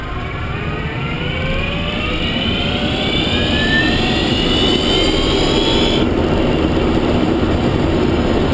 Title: Zoe Q210 Motorgeräusch 63.000km